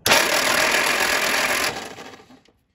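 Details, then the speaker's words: 1946 Willys flatfender Jeep that sat a while, starter fired through a momentary switch at the solenoid: steady, even whirring crank, then a clean spin-down with no grinding; normal cranking. A critter nest in the bell housing spits dirt out. "some sort of Critter got into the bell housing and made a nest and now when the engine cranks over it spits all of his his little house out which is kind of unfortunate for him"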